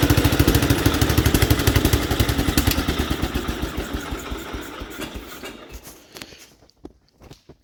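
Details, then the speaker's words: 1967 Gravely 430, sat outside for years, just fired on choke and throttle: uneven, lumpy firing about three beats a second that stumbles, fades and nearly dies; rough running, owner suspects debris against the ignition points. "not running good I know what the issue is"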